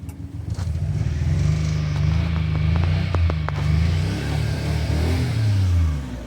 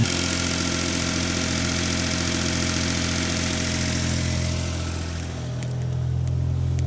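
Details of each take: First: 1991 Daihatsu Mira walkthrough van, 3-cylinder EF turbocharged, intercooled, fuel-injected single-cam engine, just imported from Japan with a weak battery: uneven, lumpy low idle with stumbling beats and pops, a misfire; distributor cap and rotor suspected. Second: 1991 Daihatsu Mira van cold start after oil-soaked ignition parts replaced and fuel system primed: steady, even idle with a smooth low hum and one brief dip, slight smoke at startup; healthy idle.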